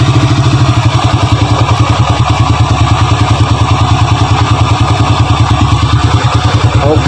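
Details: Honda Grand (customer's bike, brought in for a rough internal engine noise complaint) idling at night before teardown: steady single-cylinder beat, firm regular pulses, no clatter or knock on top; sounds healthy here.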